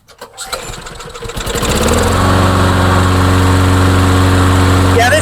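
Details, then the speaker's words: Craftsman mower with Briggs & Stratton engine that would not run, fired up in hot sun: fires within a couple of pulls, very easily, then settles into a smooth, steady idle. "thing fires up really easy now. Really really easy. So, that's a good sign."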